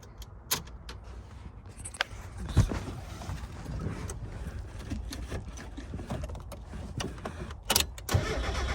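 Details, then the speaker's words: Mazda Miata with weak battery, manual transmission making a racket even at idle with the clutch released: the engine catches, then loud irregular clunks and rattles keep coming. The gearbox was low on oil and had a broken gear tooth. "so as you can see that's crazy I don't know how you would do drive the car around like that"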